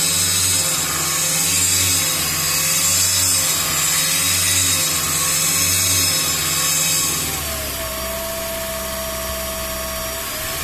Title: Toyota Prius Gen 3 Engine buzzing noise